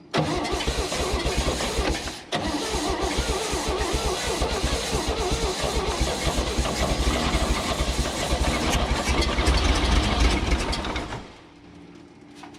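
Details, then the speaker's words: 1965 Chevrolet Bel Air 230 inline-six, sat 35 years, first run: uneven loping beat with tappety top-end rattle before shutting off; running on five cylinders. "all right she's gonna run for sure i just want to get her that rattling so you know i ate the top end"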